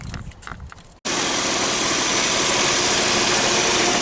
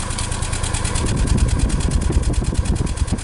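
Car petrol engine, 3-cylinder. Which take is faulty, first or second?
second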